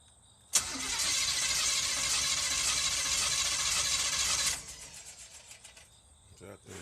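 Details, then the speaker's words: 1984 Camaro Z28 with fuel and spark: fast even cranking about three or four turns a second for some four seconds without firing; crank no start, owner suspects ignition timing or spark plugs. "Motherfucker getting spark, man. It's trying."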